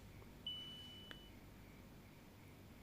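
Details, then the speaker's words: Polytron 1/5 PK refrigerator, control module box opened: one sharp high beep then scattered faint clicks and chirps with no steady rhythm, error-like; owner judges the control module faulty, so the fridge runs abnormally. "Jadi saya anggap ini ada masalah memang di bagian modul pengendalinya ini. Oke, bipnya tidak beraturan, seperti terjadi error,"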